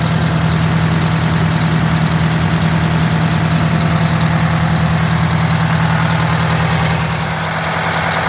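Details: Wanderlodge RV bus, Detroit Diesel 8V92TA after four new pistons and liners, idling after first test drive to cool the turbo: deep, steady diesel idle with even beat about 200 a minute, no knocks or misses. Normal idle.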